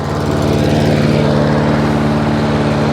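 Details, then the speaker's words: Hayter 56 Pro mower that would not reach full speed (oil possibly overfilled or tipped), with the governor spring arm lifted from tick-over: now a steady, even engine beat holding firm revs with no hunting or surging, at proper speed. "that's better there's a bit more that's better we like that"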